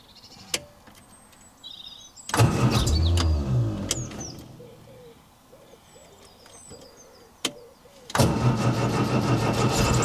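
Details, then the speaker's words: 1966 MGB GT B-series engine, first start attempt in several years, with new battery, fresh fuel, full choke and fuel pump clicking: starter churns the engine in two bursts but it never catches, though it very nearly fired. "okay we've had a few attempts and unsuccessful so far but it did sound like it very nearly fired then"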